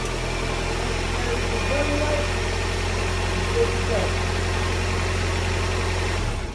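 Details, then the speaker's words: 2000 Honda CR-V four-cylinder idling just after a spark plug change: steady, even low hum with no knocks, misses or squeals. Idles smoothly and sounds healthy. "But for you guys, I'm gonna turn it on so you see, you shouldn't hear any, right? You should just hear the normal turn on."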